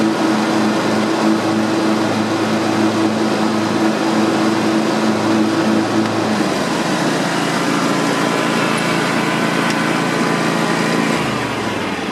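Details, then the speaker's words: John Deere X320 mower, 260 hours, after replacing PTO clutch bearings: small engine idles with steady even hum, no rattle or squeal from clutch, settles smoothly winding down; owner says it sounds much better, no longer weird. "I think that was a good idea to do that it sounds much better especially when the idols and doesn't sound weird"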